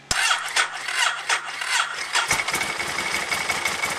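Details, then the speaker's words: Ducati 1098 first start after installing a new battery. The starter cranks slowly through about five labored compression strokes before the twin catches and settles to idle; cranking is weak, probably because the battery discharged over time. "Started up a little weak, but probably had just discharge over time."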